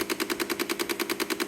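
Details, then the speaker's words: Car parked, engine off: rapid steady clicking about ten per second from inside the dash, a repeating rhythm; diagnosed as a failing door lock actuator, replaced and resolved. "And it sounds like it's coming from inside the dash. You hear it's a repeating rhythm."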